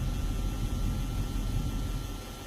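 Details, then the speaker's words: 2003 Dodge Durango SLT 4.7 with engine running: thin steady high whirring/buzzing from behind the dash heater/AC controls over low engine rumble; noise continues with key out of ignition. "2003 dodge durango SLT 4.7 and i hear like a whirring noise engines running right now but there's like a whirring noise coming from sounds like it's behind the a/c when a or the air conditioner the heating controls"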